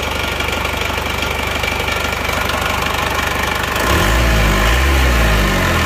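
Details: Isuzu Panther diesel after engine rebuild, injection timing set fully back to offset an over-deep regulating valve: steady idle with even clatter about four beats a second, no rough misses, normal exhaust smoke; smooth diesel idle.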